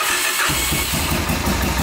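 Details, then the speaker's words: 1986 Honda Fourtrax 350 4x4 ATV, single cylinder, after a thicker gasket fixed its starter gears: the starter spins up smoothly with no grinding, and the engine catches cleanly and settles into an even putter; normal starter engagement. "all right so we made the uh the starter gears work with that thicker gasket and uh it's very smooth sounds good no grinding"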